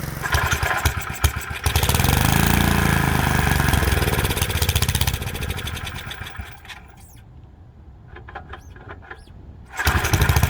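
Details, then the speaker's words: Freshly rebuilt Kohler K91 runs steadily, then sags and stalls after its first break-in run. The carburettor float was jammed in the up position, likely having wiggled loose, so it was not metering and was pouring in fuel, flooding the engine. "you can clearly see there is a major issue here with this float which means it wasn't even metering the fuel just pouring fuel right"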